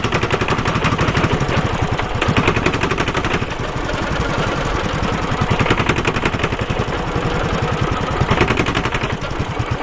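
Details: Suzuki Savage 650 single-cylinder ridden in too high a gear at low revs under throttle: heavy uneven chugging thumps as the engine lugs and snatches.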